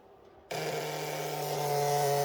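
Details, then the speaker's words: Motorbike with a battery too low: the starter whirs steadily for about two seconds but fails to crank the engine over, before a jump starter is connected. "failing to crank over because the battery is too low."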